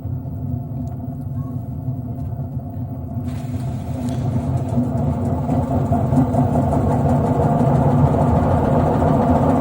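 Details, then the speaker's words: LG direct-drive washing machine drum spinning at 400 rpm: deep steady rumble that grows louder at higher drum speed, from a worn drum bearing. "это звук при 400 оборотов в минуту при более быстром движении барабана звук усиливается но в принципе здесь хорошо прослушивается"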